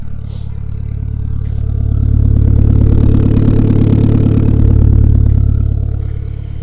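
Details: GSX turbo car, first start after sitting five weeks on fresh oil: regular firing pulse at idle with gentle rise and fall in revs, no knocking or rattles; runs healthy.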